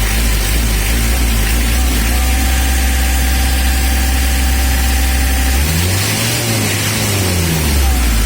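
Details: Mitsubishi L300 diesel after injection pump (bospam) tuning: steady low diesel clatter at idle with a brief rev near the end, settling back smooth; idling evenly and healthy.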